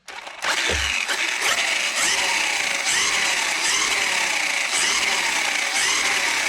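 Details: Hosim X07 RC truck after replacing a broken rear differential with a factory part, on a 2S battery: a clean high motor whine that climbs smoothly and holds under revs, with no clicking or grinding. The drivetrain is healthy.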